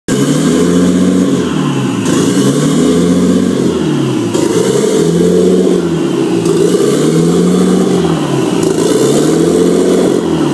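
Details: Nissan RB25 swap, unstable idle: idle surges up and down every couple of seconds in a slow hunting rhythm, never settling; rough, unstable idle, cause unknown.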